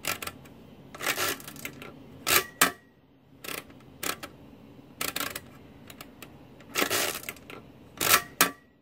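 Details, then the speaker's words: Marchant XL mechanical calculator (modified pinwheel mechanism), after repair: the hand crank gives crisp, even bursts of rapid clicking and ratcheting with no scraping or binding. Normal operation; only the tens carry on the first counter position still fails. "nice smooth machine this is our counting over here by the way counts many operations we have"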